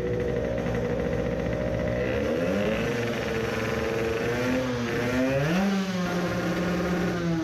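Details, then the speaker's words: 50cc two-stroke racing moped with a self-cast cylinder, aiming for 20 hp, on a new Italian race carburetor: revs climb lazily and sag. It runs rich; revs slightly better with the fuel line shut. "it reved maybe a bit better but it is misfiring badly"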